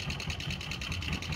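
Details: Honda Verza fuel-injected motorcycle, engine dry of oil before being topped up, idling with a sharp, rough metallic valve-train clatter about five times a second from the block/cylinder head; caused by oil starvation.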